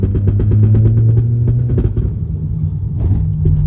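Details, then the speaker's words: 2008 BMW 335i E92: rapid hollow thumps, about three a second, under a low engine rumble as the car pulls away under load, coming from beneath the centre under the armrest; most likely a worn carrier bearing, not confirmed. "Coming from right under here. Under acceleration. But if that's what your car sounds like, it's most likely a carrier bearing."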